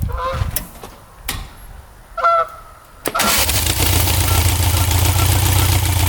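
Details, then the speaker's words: 1967 Volkswagen dune buggy, owner thinks the engine is about 1300cc and notes it burns oil, restarted after a first ride following a non-running purchase: engine catches after a quiet pause and settles into a steady, even low idle; sounds smooth, good to go. "sounds really smooth doesn't it I'd say she's good to go"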